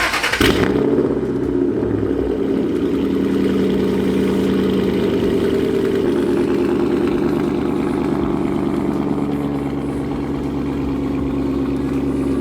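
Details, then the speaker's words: Steady deep burbling idle with no buzzing rattle or exhaust-leak puffing, after tightening a loose exhaust clamp/bracket on a straight-piped, catless S197 Mustang GT; buzzing had come from the loose exhaust connection. "so I didn't hear the rattling and I don't hear the leak anymore"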